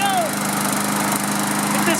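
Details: Briggs & Stratton lawn mower with plastic carburetor, sat outside a couple of years and wouldn't start. After the carburetor was cleaned and fresh fuel added, it holds a steady, even buzz with no misses or surging; healthy and settled.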